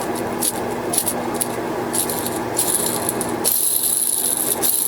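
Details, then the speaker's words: Yamaha Warrior 350 ATV engine rebuild: old crankcase ball bearings spun by hand give a gritty, uneven rattle with scratchy hiss; metal debris likely flattened the balls, one bearing seized, possibly from overheating and an expanded race, worn ball bearing. "here's the old bearings and these things are in rough shape"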